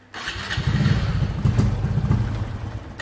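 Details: Honda RSX FI scooter with severe hesitation on throttle: the engine catches and runs rough, its uneven beat stumbling as throttle comes on, traced to an intermittent high-voltage ignition coil; no fault code shown.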